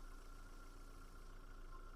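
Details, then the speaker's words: 2010 Skoda Octavia A5 1.6 MPI with factory LPG, 229,000 km: steady, even, quiet low idle with no misses, knocks or hunting; runs smoothly on both gas and petrol. "Мотор працює тихо, рівно, не димить, не троїть, не сапунить, що на газу, що на бензині."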